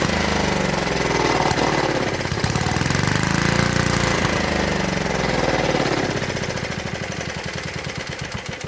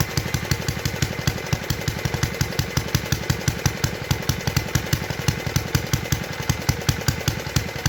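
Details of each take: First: 1952 Clinton VS-700 single-cylinder mower engine fires steadily for several seconds, then stumbles and dies; fuel starvation, it runs only on primed fuel, and a clogged fuel line was later found. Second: 1952 Clinton VS-700 single-cylinder push mower engine, revived after cleaning points, carburetor and a clogged fuel line, wheels and handle fitted; quick even putt-putt beat at steady speed with no misses, running cleanly at idle after tuning down.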